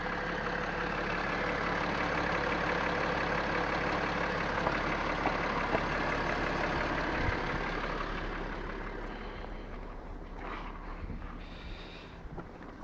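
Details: BMW X5 E70 3.0sd M57 diesel, idling: steady tapping knock near three per second, louder than injectors or valves, quickening with revs, clearest at the right front wheel arch; injectors tested and restored but knock remains, cause unconfirmed.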